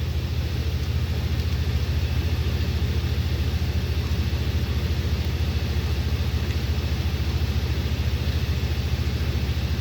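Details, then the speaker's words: 1959 Frigidaire Custom Imperial Multimatic washer running without clothes or water because the motor capacitor blew, in its brief high-speed spin at up to 850 lasting under 20 seconds: steady, even rushing hum with a faint pulse about three times a second, no knocking; normal. "Now this will go up to 850, and it doesn't hit 850 for very long, maybe a few seconds, not even 20 seconds. They did that to not set the wrinkles in."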